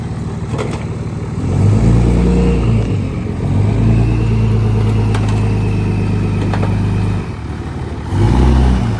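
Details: 3rd-gen Dodge Cummins diesel, first drive in about three years: even diesel clatter, revs climb and drop back cleanly with no miss or knock; healthy idle.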